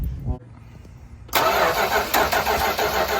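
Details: 1972 Dodge W200 Power Wagon revival, cranking with a spark plug grounded out to check spark; even steady starter rhythm with no firing, grinding or hesitation, very healthy spark found; normal cranking.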